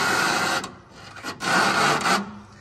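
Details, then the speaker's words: 1966 Lincoln Continental suspension built by another shop, worked by hand: two drawn-out raspy squeaks, one per stroke, despite greasing and cycling. Squeak traced to a dry washer rubbing on an ungreased bushing; the fix is loosening the nut and greasing it. "just a quick tip when you guys are putting Parts together and they require grease make sure you're putting grease everywhere and you're cycling the part cuz it definitely shouldn't sound like that"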